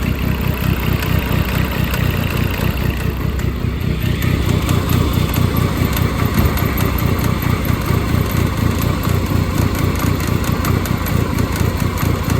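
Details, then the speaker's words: Dodge Caliber SRT4 with fresh oil and filter, compression and coolant tests good, driven on road: rapid busy internal mechanical clatter and banging over idle, not a traditional rod knock; source unidentified. "It's it's making some noise. I just don't know what the noise is. That's not your traditional Rod knock, no."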